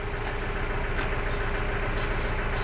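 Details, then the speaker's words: Mahindra Bolero diesel idling just after start-up, with the warning light on. A rough, lumpy miss is heard under the clatter. The scanner reads P0203, injector circuit cylinder 3, so this is a misfire at idle from the cylinder 3 injector circuit fault. "ये start हो गया। ये देखो miss मार रहा है और ये लाइट आ रहा है ना, ये लाइट आ रहा है और ये देख सकते हो गाइस मिस मार रहा है।"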